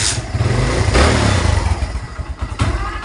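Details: Kawasaki Barako II 175 that keeps dying in traffic: single cylinder cuts in and out with uneven sputtering beats and fading revs; misfire and stalling from water in the fuel.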